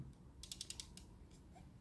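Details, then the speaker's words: Old SteelSeries Rival 3 wired mouse after reassembly, shaken: six or seven light dry ticks of a loose internal part; owner suspects a removed piece had held it in place, new unit silent. "Evet mouse'u taktık gördüğünüz gibi artık mahmuttan ses gelmiyor bak bir ses geliyor sadece o da nereden geliyor"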